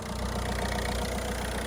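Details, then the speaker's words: Non-running Citroën DS3 diesel after engine rebuild including crank work, first start: steady, even diesel idle with a regular low beat and no knocks or misses; runs smoothly and quietly, engine management light on. "like that's quieter than my van that sounds lovely"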